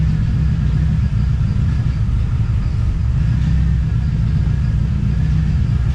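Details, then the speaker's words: TVR Cerbera with a random misfire: deep, lumpy rumble that never smooths out; owner considers disconnecting one of the two throttle position sensors. "okay well I guess you can see that's not going that great um starting to wonder if I should disconnect one of the throttle throttle position sensors"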